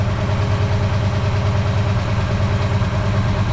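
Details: Ford 302 V8 before teardown: rough, uneven idle with a lumpy beat; one header over 200 degrees cooler shows a dead cylinder, another down, heavy blow-by; suspected blown head gasket on that cylinder and worn rings.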